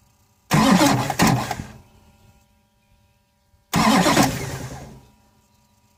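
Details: 2006 Duramax LBZ with Allison 6-speed, 260K miles, new fuel filter head, clean fuel, no codes: with the key held, it cranks about a second, stutters, cuts out, then cranks again without firing. Intermittent slow crank, no start.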